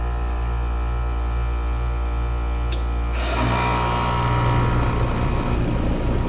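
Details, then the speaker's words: HVAC outdoor unit with condenser fan disconnected, compressor running after defrost test: loud droning hum and buzz turning rougher; compressor sounds rough, drawing about 10.3 amps, judged about to fail and needing replacement. "That sounded rough. Got the fan disconnected and we're gonna, well, I just turned it on a second ago. That didn't sound right. That didn't sound right either. That compressor sounds a little bit rough."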